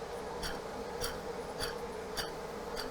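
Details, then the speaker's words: Renault Duster H4M 1.6 16V, about 40-45k km, whistle especially above 1700 rpm, low antifreeze and old dried leak: removed water pump gives a rough buzzing whir with a sharp tick every ~0.6 s, a worn bearing. "наш вибрация по помпе идет прям по всей ой Кошмар какой за 40 тысяч помпа ушаталась"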